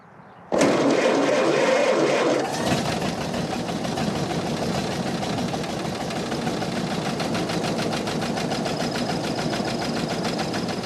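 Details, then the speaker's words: 1929 Ford Model AA Express barn-find truck, sat over 30 years: catches on the first crank and settles into a steady, even four-cylinder idle with no misses or knocks; owner unsure whether cylinder 4 is fully firing. "So it did not take very much effort, just fired right back up again. So I brought it down to idle here and it's starting to sound pretty good."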